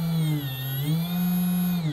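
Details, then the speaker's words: STEPCRAFT HF-500 500 W brushless DC computer-controlled spindle, manual run-up via front button and speed dial: smooth steady hum climbing and settling in pitch as speed rises, no rattle or grind; normal spindle run-up. "if you want to do this manually you can simply hit the button on the front and then you can increase the dial and you'll see that the spindle Powers up from there"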